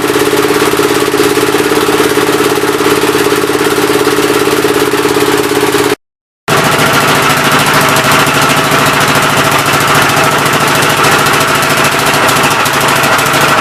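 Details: Old engine's first start attempt on a temporary coil ignition: chuffs and pops at a steady idle beat with a hollow, uneven wheeze on each stroke. The intake valve seems to be leaking but is not hanging open; the owner plans head removal and valve lapping.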